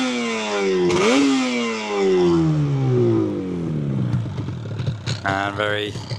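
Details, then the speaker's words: Fully rebuilt 1983 Yamaha RD250LC two-stroke with original silencers, slightly warm, revved: crisp rise and fall to a light crackling idle, no knocking, slight kickstart rattle; normal running. "Engine sounds fantastic too. Got the original silencers as well."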